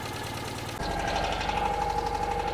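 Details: Small car idling after five months laid up: a quick, light, even tick rides over the beat. This is a slight top-end tap at idle, cause unconfirmed.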